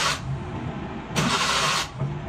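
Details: Suzuki mini pickup, hard starting, low power and stalling: short bursts of cranking whir with no catch, engine turns over but won't fire; fuel check found air instead of fuel, fuel supply fault.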